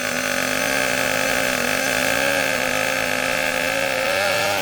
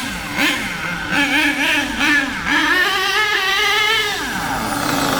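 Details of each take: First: HPI K4.6 nitro engine in a Savage monster truck, run briefly after startup while still warming up: high buzzy drone holds flat and won't pull or move, extremely rich; over-rich mixture. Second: HPI K4.6 nitro engine in a Savage 21 monster truck after low-end and high-end needle tuning, driven but not flat out: high buzzy engine revs up and down smoothly, picks up crisply without bogging; mixture judged about right.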